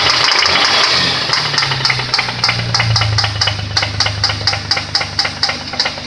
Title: стук шатуна в двигателе VQ20DE (часть 1)